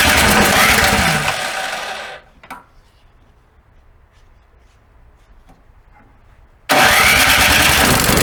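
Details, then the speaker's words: Snow blower engine after summer storage: two loud bursts of starting effort with a quiet gap, never settling into idle. The owner attributes this to carburetor jets clogged during storage. "it's really like a team robot with multiple somehow several tiny holes that just get clocked when you store it"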